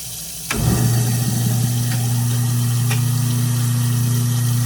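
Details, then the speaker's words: Kitchen garbage disposal after reassembly, following diagnosis of an open thermal overload and stubborn bone pieces, run with water flowing: a clean start, then a steady low hum with no clanging. It now runs free and healthy, replacing the earlier high-pitched clang. "And that is a much better sound. That's what you want to hear from your disposal, that low hum."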